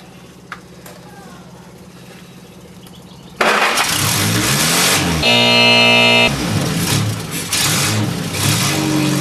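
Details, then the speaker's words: Freshly built replacement engine for a Mongol Rally car (old one knocked in the bottom end when warm), first start after fixing a pinhole fuel-line leak: catches at once, brief rev blip, steady strong run; normal start and running. "yes yes yes oh man that sounded sweet man oh [ __ ] hell yes what a result about [ __ ] time oh that sounded good just just ran mint"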